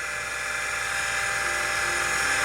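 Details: Convergent Technologies AWS Turbo (serial A-17618) with its original CM5616 hard drive: harsh high-pitched whir with gritty rasp, sounds awful, yet the drive still boots CTOS.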